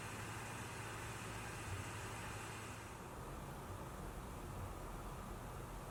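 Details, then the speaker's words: PS4 Pro console fan under heavy game load, working hard but able to lower its speed slightly; top around mid-to-high 40s, rear vent 55–60; only a soft, even airy hiss with no whine, buzz or rattle. Quiet fan, normal. "consoles will work very hard the entire time but ps4 pro tends to have a fighting chance at lowering fan speeds ever so slightly with heat"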